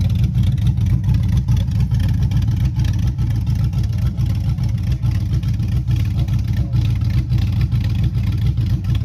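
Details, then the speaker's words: Chevy Silverado 5.3 V8 rebuilt after a bent rod: 0.020 over pistons, Summit stage 1 cam, beehive springs; a hung injector was fixed. Revving on open pipes: a deep, loud rumble with even throttle blips, no knock or tapping. A good-sounding cam, healthy engine. "I was thinking BTR or something like that, but either way, it's still a good sounding cam."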